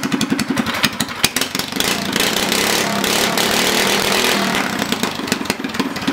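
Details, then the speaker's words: Predator 212cc single-cylinder go-kart engine, governor removed, after swapping stock valve springs for heavier Honda 18lb springs: pops rapidly and evenly, revving up and down smoothly with no misfires or valve clatter; normal running. "all right so before I wrap up fire it up good sounds good runs good"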